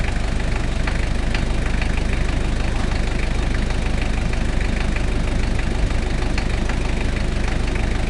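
Steady diesel idle carrying a hard, fairly even knock roughly twice a second above the clatter; a knock whose source is still unknown.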